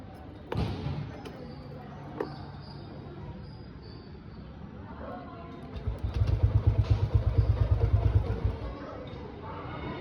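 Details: Motorcycle fails to start after spark plug swapped for an old one: a few clicks, then brief low uneven thumps that die without catching; it had been shutting off when started, later runs after further tries.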